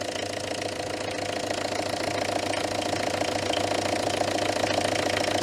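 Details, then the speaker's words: Citroën Berlingo HDi diesel after MAF replacement, idling with the MAF unplugged again; bubbles in the fuel pipe near the high-pressure pump: uneven knocky patter about two beats a second; still running lumpy, cause unclear. "I think it's still yeah so you're still not right foreign oh no that is not a Happy Engine at all"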